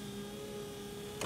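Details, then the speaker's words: 2014 GMC Terrain, wipers stopped working while the motor still ran, after broken wiper linkage replaced and old motor reinstalled, tested with key on and engine off: steady even motor hum with light sweep noises, no grinding or clunking; normal operation. "functions seems to be working okay"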